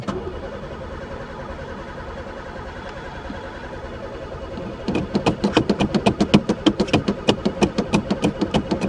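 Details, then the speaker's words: Pontiac not run for 3 years, gas dumped in the carb; owner suspects chewed wires, broken fuel lines or stuck throttle: starter churns evenly about four per second but never fires; crank no start. "there even gas dumped in it um this ain't a good"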